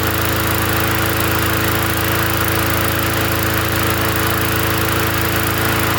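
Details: Free 20-inch Bolens gasoline push mower from the dump, first run after adding gas: a steady, even note with a smooth firing rhythm and no misses or surging; the engine runs cleanly and healthy.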